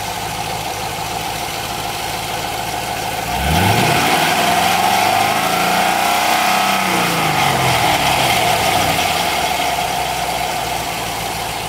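Idle jumps to a louder, rougher run with pitch sweeping up and back down; a knocking bang under the engine, cause unknown.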